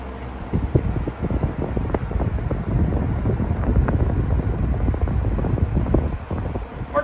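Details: Restored 1940s Hunter Zephair C16 desk fan, USA-made, on its slowest speed after polishing: soft low even whoosh with some air buffeting at the mic, no rattle or scrape; very smooth and quiet.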